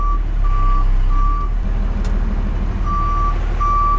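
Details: 1975 Dodge D600 auction truck reversing: clear steady high beeps about once every three-quarters of a second over the rumbling engine; the backup alarm works normally.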